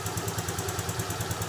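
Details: Yamaha Freego scooter after a smart-key ignition that wouldn't turn was fixed by repairing the existing SCU (no new parts): quick, even putter of about ten pulses a second with no skips or rattles; normal idle.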